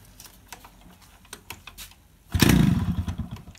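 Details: Yamaha RX100 two-stroke kick-started cold in the morning after heavy rain: near silence then one short ragged burst that fades; cold engine won't catch.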